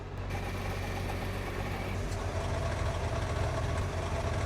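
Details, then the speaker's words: Nissan GT-R R35 idling, mic placed underneath near the bell housing: low steady rumble with loose metallic plate-like rattle, drivetrain/drive shaft impacting the bell housing; the known bell housing rattle you don't want to hear. "basically you're looking for that plate rattling kind of a sound and yeah so let me play what you don't want to hear"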